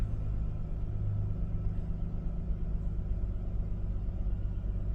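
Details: 1998 Isuzu Rodeo idling after starter motor replacement for a no-crank fault: low steady idle rumble with even beat, no misses or noises, engine running normally.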